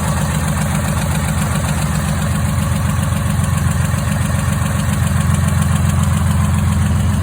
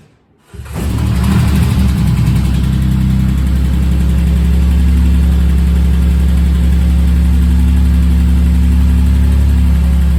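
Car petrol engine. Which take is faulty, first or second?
first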